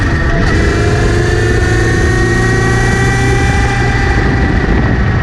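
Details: Kawasaki Z900RS after chain cleaning and relubing, chain clean and tension correct: steady whirring buzz under acceleration and in gear, apparently from the front sprocket area; cause unclear.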